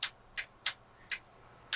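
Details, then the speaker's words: Voltcraft PS-1440 36V 40A 1440 W linear DC power supply: five sharp dry relay clicks in two seconds over quiet hiss while the output stays on; owner suspects the contacts don't close, likely from always switching under load, and plans to fit a stronger relay. Relay clicking. "I can hear it clicking, but probably the contacts don't go because the output stays on."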